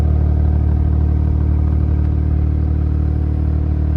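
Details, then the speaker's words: Geo Metro three-cylinder at a steady idle: a deep exhaust note with the typical uneven-sounding triple thrum, no knocks, misses or smoke; runs smooth, though a bit loud, possibly from a performance muffler. "the car runs good can't complain about that engine's quiet it's running smooth for a three-cylinder"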